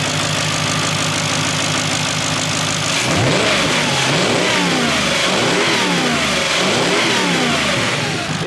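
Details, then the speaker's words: Warm V8 Jaguar XK revved; very loud, raspy exhaust swelling with each blip, noise heard above the inlet manifold; rear boxes removed and exhaust clamps let go, one broken: exhaust leak. "the only thing I can really hear is that if you go on through Inlet manifold you stand above it you hear the noise coming out from there"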